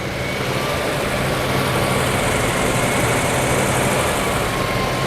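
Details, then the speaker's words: 1956 Oldsmobile 88 V8 started after long sitting, an earlier problem possibly a stuck valve seemingly cleared, no exhaust smoke but maybe smoke from valve cover: steady, even idle without misses but noticeably high. "sounds like it runs pretty good. The idle sounds a little high."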